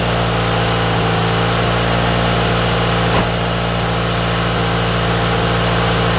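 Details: Toyota AE86 GTS running again after a cleaned, refurbished gas tank, new fuel pump and fuel filter were installed; first warm-up idle with slight smoke: smooth, steady low idle, even pulse, no misses, knocks or ticks. Normal warm-up idle.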